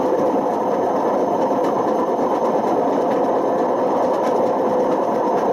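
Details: Washing machine with badly worn drum bearings: continuous harsh grinding roar as the drum spins. Continued running damaged the spider and wore the motor.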